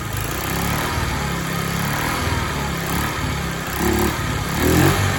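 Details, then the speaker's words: Discarded TaoTao 50 two-stroke scooter, carburetor and throttle linkage not yet dialed in: it sputters unevenly and surges with throttle blips, needing throttle to keep running and wanting to stall at idle; rough running, cause unconfirmed. "Got to baby the throttle a little bit because she doesn't want to stay running."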